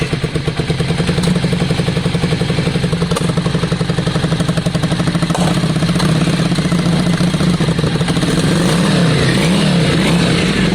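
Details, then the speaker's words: Yamaha Virago 535 after carb clean, rejet and air/fuel adjustment, not yet fully warm: uneven V-twin lope with sharp spits and pops when the idle is raised; a companion bike does the same; cause unconfirmed, spark plugs not yet checked. "that spitting is something that me and john were looking into last night because both bikes are doing it it seems um interesting"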